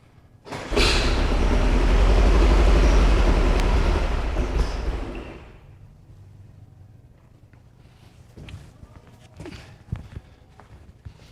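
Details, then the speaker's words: 1973 VW Super Beetle with 40 IDF carburetors; the distributor may have been tampered with. It catches and runs loud and ragged for a few seconds, then dies into uneven sputters. Rough running on a rich mixture. "I don't know if that the fuel visual richness picked up on camera but uh it's it's definitely rich"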